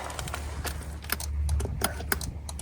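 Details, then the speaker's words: Flood-damaged 2022 Porsche Taycan at salvage yard, water got inside: power seat motor gives irregular light clicks over a low hum, trying but never moving the seat; electrical fault suspected. "can hear it trying, but it ain't going."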